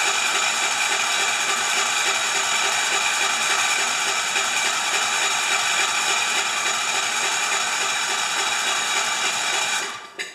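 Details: 10 HP Kohler K241 with newly fitted modern plastic fuel pump, tank horizontal so no gravity feed, ignition off, cranked to test pumping into a dish: fast, even starter whirring for about ten seconds, then stopping; normal cranking.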